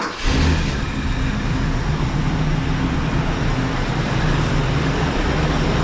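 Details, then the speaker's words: Country Squire after brake job (new master, booster, lines), fired up and chugging heavy, huffing black smoke; deep lumpy rich idle; choke never came off though high idle kicked in; owner suspects choke, later running smoother. "So I figured, since I fired it up and it was still chugging kind of heavy, so I just want to see if that choke comes off or what the deal is with that. Still huffing black smoke."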